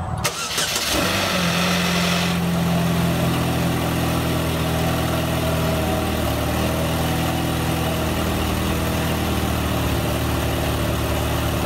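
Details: L61 engine cold start, intake resonator removed: a couple of seconds of harsh rattly hiss and whine right after firing, then steady idle; owner suspects timing chain running dry briefly, not confirmed.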